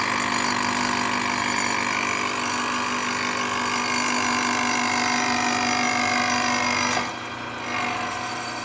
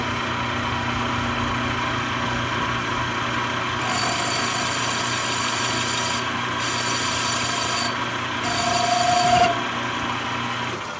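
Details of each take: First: Manual lathe boring/facing a Harley-Davidson FLH belt-drive pulley with an insert at 0.009 in feed: steady, even cutting hiss with a clean tone, no chatter or squeal, stopping near the end; smooth, healthy cut. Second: Manual lathe running in reverse, cutting a radius with a 1/8-inch full-radius tool on a Harley-Davidson FLH belt-drive pulley; hissy cut breaks into a rising squeal as chatter starts from excessive spindle speed.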